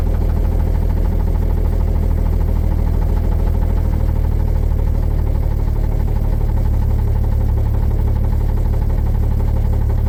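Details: 1950 Chevrolet 3800 one-ton, Chevy 235 six, sat since 1977, with Lucas Oil Stabilizer at 60%: heavy deep idle with dull knock about three times a second; rod knock persists despite additive.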